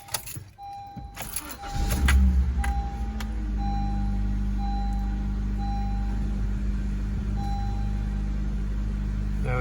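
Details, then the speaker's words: 2013 Honda Civic after spark plug replacement for a cylinder 1 misfire (P0301) that made it shake: door chime, starter cranks, engine catches and settles into a steady, even idle with no vibration or misfire. "you go, guys. No vibration. Everything is well."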